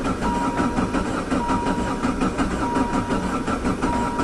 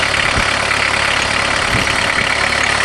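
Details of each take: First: VW Jetta diesel-converted van with a mechanical injector pump, high kilometers, sitting since fall, after glow plugs; long slow rhythmic cranking at about eighty strokes a minute, no catch, as fuel drained back leaving the pump empty; fixed by hand-priming the pump. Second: VW Jetta diesel-converted van with a mechanical injector pump, high kilometers, just started; cold idle with loud steady clatter, even beat, no misses; running normally, just noisy while cold.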